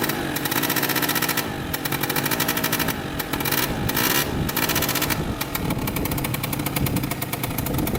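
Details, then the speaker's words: 2003 Polaris Sportsman 90cc two-stroke ATV on its first ride after a new top end, oil pump and wheel alignment fix. Buzz revs and eases off crisply and evenly with no bogging; owner says it runs really good. "all right so first ride done with it runs really good"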